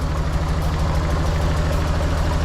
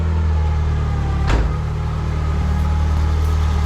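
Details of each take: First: Nissan 240SX KA24DE, first start after removing timing chain guides and cleaning the tensioner: heavy, lumpy, shaking idle with uneven throb; owner wondered if cold, then suspected spark plug wires on wrong, causing misfire. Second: Nissan 240SX KA24DE after timing chain tick repair, with crossed cylinder 2 and 3 ignition wires corrected: a steady, smooth, even idle hum with no misfire or shaking; the engine runs cleanly.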